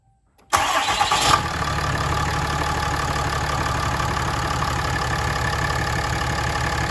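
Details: 2017 Ram 3500 Cummins diesel started after changing both fuel filters and priming: quick crank, catches at once, settles into even steady idle with no stumble, miss or hunting; healthy.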